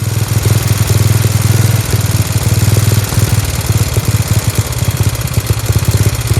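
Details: Dayton lawn tractor with 11 hp Briggs engine, revived, running without air filter: loud, deep, even putt-putt at steady speed; sounds healthy like a hot rod, just noisy open exhaust.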